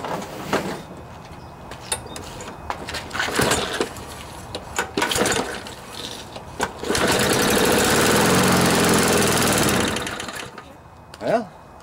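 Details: Briggs & Stratton mower engine that would not start after hitting something hard, after bent blade and sheared flywheel key replaced, left out in rain overnight: several pull-cord tugs, then catches and runs steadily about three seconds before dying; now starts and runs.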